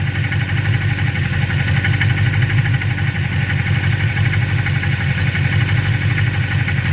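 A steady low idle with an irregular rapid tapping running through it, about three per second; a knock at idle, source unclear.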